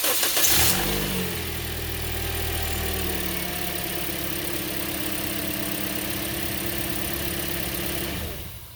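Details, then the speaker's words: Toyota Corolla, cold start the next morning after the intake cam gear start-up rattle was repaired without replacing the gear: cranks, catches and settles into a smooth, even idle with no rattle; normal cold start. "and that's how your engine should sound when it starts no rattle this is the next morning no rattle anymore it's all fixed"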